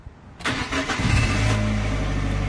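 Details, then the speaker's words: Learner car started in neutral with a cold engine not yet run that day: brief starter crank, then the engine catches cleanly and settles into a steady, even idle; normal engine start. "what starts the engine and as you can hear the engine is now running as if it needed any further"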